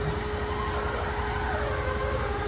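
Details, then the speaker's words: 383 engine after dyno failure, not running, leak-down air on the cylinder with header off: steady hiss heard in the pan and lifter valley, air getting into the crankcase; broken ring or valve-damaged piston suspected, bent exhaust valve from lifter earlier suspected. "nope where's it going into the pan I hear it into the valley I hear it you hear in the lifter Valley"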